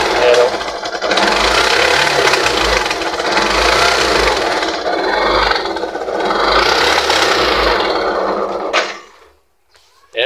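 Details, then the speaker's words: Yamaha YTX 125 motorcycle in neutral, started after failing to kick start, idling roughly, sputtering and stumbling unevenly, then dying; carburetor to be removed and cleaned; misfiring, sputtering idle. "jalyado yung kanandar at papugak-pugak."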